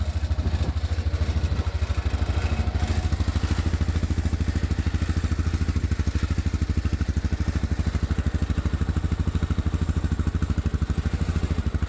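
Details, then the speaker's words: Massimo T-Boss 550 UTV at idle: steady metallic clatter riding on the engine pulse from bedsides and, at other RPMs, the middle of the cargo bed. "some of it's the bedsides but other RPMs I think the whole middle of the bed rattles like that"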